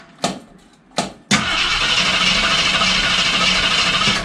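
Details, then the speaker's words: 1973 AMC Javelin, neglected and long sitting, gas poured down the carb; two short bursts then a few seconds of cranking that never catches. Crank no start; crew believes fuel not being picked up, carb possibly cruddy. "Okay, I'll put some more gas down the carb because I don't think we're picking up fuel yet. Nope. No fuel picking up yet."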